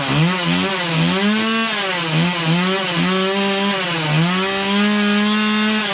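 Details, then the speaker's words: Stihl MS180 chainsaw after fuel line replacement and carburetor removal, started indoors on half choke; buzzy two-stroke note wavers about once a second but keeps running, runs fine. "this may take a few pulls because you have to keep in mind we pulled the carburetor we undid the line it's just got to get work its way back up through we'll go up to uh half choke which is one click up"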